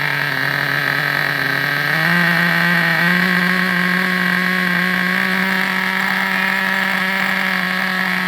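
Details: Vintage Traxxas nitro RC buggy engine on the bench: high, steady buzzing tone stepping up slightly then holding even; runs cleanly.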